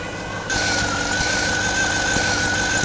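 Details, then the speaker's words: 2007–2014 GMC Yukon 6.2L, idling: evaporative purge valve hose disconnected and a finger placed over the port, giving a sharp suction hiss with a thin steady whistle; valve stuck open and pulling vacuum when there should be none, so it needs replacing. "It's definitely got suction, so that valve is bad. It's definitely vacuuming. So there should be no vacuum on it right now."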